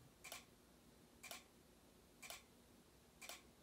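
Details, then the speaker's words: Simplex SmartSync horn/strobes on a Fire-Lite panel with Simplex 4905-9938 sync module, manual activation: crisp sharp clicks once a second in a quiet room, strobes flashing steadily in sync; normal strobe clicking. "so again this comes on this is clicking away you can already see the stroke click here click click click"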